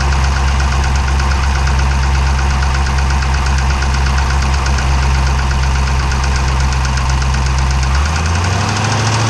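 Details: 392 V8 with 1400 miles, heavy steady knock in time with the idle, loud low diesel-like clatter like a Cummins; internal engine knock, source not yet found.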